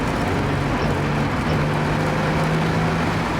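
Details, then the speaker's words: Holden VS Commodore ute after fuel system work, new fuel pump: steady low engine drone under road noise pulls smoothly in fourth gear, no stumble or misfire; much more torque than before, healthy under load. "Woohoo! It definitely has way more torque, like even as you're just going fourth gear,"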